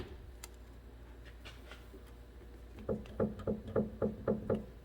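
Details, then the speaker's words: 2015 Ford Focus, 128,000 km, on a lift during a front wheel bearing job, the lower stabilizer link rocked by hand after a rattle was heard on the road: sharp loose clunks with free play, a worn stabilizer link. "checking the stabilizer links while we're here because I thought I heard a rattling on the road"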